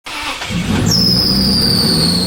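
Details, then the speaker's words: Toyota 2JZ race car with accessories deleted (power steering, A/C) for electric steering: engine fires, then a piercing high squeal rises and drifts lower, a slipping accessory belt from poor belt routing on start. "know what can ruin a perfectly beautiful race car? A squeaky belt."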